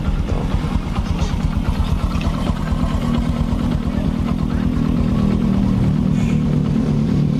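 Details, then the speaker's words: Honda Supra X 125 road test after an engine repair: a steady, even low thrum with no knocks or rattles. The engine is now smooth and soft. "hai loh mesinnya sudah halus lembut mesinnya ya mesinnya lembut"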